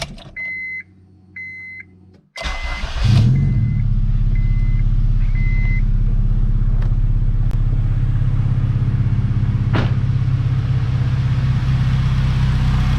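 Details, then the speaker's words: Acura RSX with newly installed Comptech supercharger, untuned, first start: chime beeps, quick crank and catch, then steady, even idle with no belt squeal or slipping; normal idle. "all right everything sounds pretty good belt looks good it's not slipping off oh very nice"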